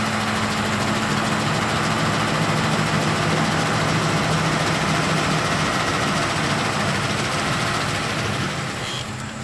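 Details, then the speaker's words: 2007 Ford F-150 Lariat 5.4L Triton V8 at about 800 rpm, hood open: busy metallic rattle over the engine note from the VCT cam phasers, which rattle between 800 and 1,200 rpm. "y'all hear that okay that was the phaser rattle"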